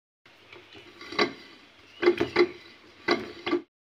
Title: सिलिंग फैन बहुत आवाज कर रहा है। तो कैसे ठीक करे |ceiling fan sound problem| ceiling fan repair|